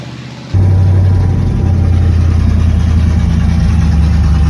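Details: '70 Nova with a $400 mystery V8 swapped in after the 307 small-block's flat-tappet cam failure, first fire-up: catches within a second and settles into a deep, steady rumble with no knocks or misfires. Healthy idle.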